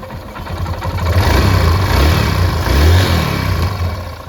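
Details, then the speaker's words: Honda Dream Yuga 110 motorcycle, about 40,000 km, after replacing the complete timing chain kit: clean throttle blips rising and falling smoothly with an even low exhaust beat and no rattle, sounding like original; normal revving. "सन सकते हो friends जो sound है engine का काफी बढ़िया ए चुका है जैसे की मतलब ओरिजिनल जैसा साउंड ए चुका है काफी बढ़िया साउंड आया ठीक है"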